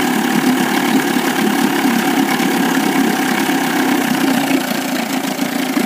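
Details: 1998 Evinrude 25 outboard misses at low rpm, lower cylinder only; uneven stumbling beat with skipped firing pulses; good spark both cylinders, charge coil 330 V, power pack 170 V, trigger 10 V, carb cleaned, coils and plug wires swapped, cause not found.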